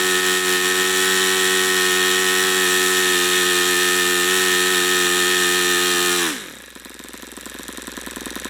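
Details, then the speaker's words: YS FZ63 model glow engine on its first run, swap-meet find with unknown run history, OS F plug, 22% nitro / 18% oil fuel: high steady buzz, then it drops in pitch and quits. Owner unsure whether overheating or not yet broken in. "see I don't understand that I don't understand if that's a overheating thing I didn't hear it Knocking or what that is maybe it's not broken in"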